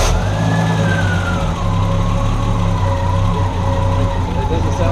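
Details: 1974 Triumph TR6 after carb balancing, carb adjustment and timing adjustment for backfiring, smoke and run-on; low, steady idle rumble with an even beat and no stumbling, running cleanly.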